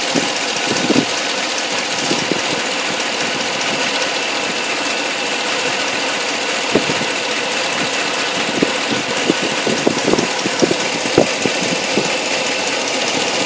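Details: 2013 Hemi engine near idle: busy, uneven ticking over a hissy engine note; strange noise, source unclear.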